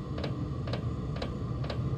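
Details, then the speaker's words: Chinese diesel parking heater on a 12V battery not fully charged, about 9.3 V with fuel pump started: steady light ticks about twice a second over low fan rumble, heater never catching; battery voltage too low to run. "so that battery is a hair too low to make this run"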